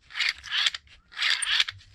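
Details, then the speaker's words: Mini Cooper F55 three-cylinder swirl flap actuator, removed and checked mechanically fine inside; despite a logged fault it sounds the same as a comparison unit: two short, even whirring gear bursts as it sweeps and returns, no clicking or grinding. "this is the actuator i've had the actuator off i've added in bits it all seems mechanically fine inside it sounds pretty fine i mean nothing alarming about it"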